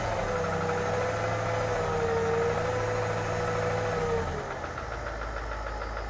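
Steady idle with a faint tapping at about three per second under a thin whine; some knock in the upper engine, cause unclear.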